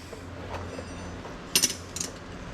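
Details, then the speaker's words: Truck brake slack adjuster being turned about half a turn after snugging up: a few crisp separate ratchet clicks, the sound the other side wasn't making; adjuster is good. "See, that's the sound you want to hear. So that tells me she's good."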